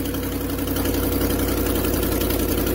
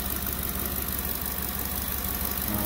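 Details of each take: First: 2010 Ford F-150 5.4 V8 at cold idle: a fast, uneven ticking puff over the steady rumble, about three or four a second, from a cracked exhaust manifold. The noise largely goes away after about 5 minutes of warm-up. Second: 2010 Ford F-150 King Ranch 5.4 V8 idling after the owner replaced a cracked, ticking exhaust manifold and tightened the Y-pipe: a steady, even idle with no ticking or puffing. The exhaust leak is fixed.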